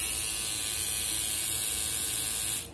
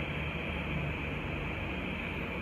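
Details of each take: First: Old GT tattoo pen at 7.5 V: steady, harsh high-pitched buzz with a rattly edge; owner unsure whether the motor or the mechanism makes the noise. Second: New CNC Q2 short tattoo pen, first run on a wireless power supply at 7.5, no needle cartridge fitted: soft, steady, even hum at constant pitch, no noise. Normal running.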